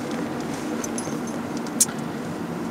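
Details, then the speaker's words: Toyota Prius 2 driving in electric mode, which it can hold up to 49 km/h: no engine note, only soft steady tyre roll, slightly louder from winter tyres on the front; normal electric-mode driving. "alors là on est en mode électrique avec la Prius depuis qu'on est parti on entend pas le moteur et jusqu'à 49 km/h elle peut rester en mode électrique comme ça"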